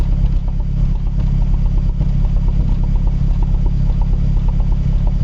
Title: Cold start, rough idle (looks like misfire) - Mazdaspeed3 / MPS